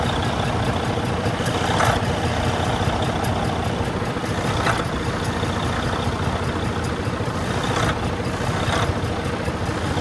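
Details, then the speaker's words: 2012–2013 Freightliner Cascadia DD13 diesel, low boost, fault SPN 2631 FMI 1 low air flow, bubbles seen at intake manifold: faint puffs with slight tick about once a second over rough idle; intake manifold gasket leak. "you guys can hear the slight tick and the slight puff, so it's not terrible."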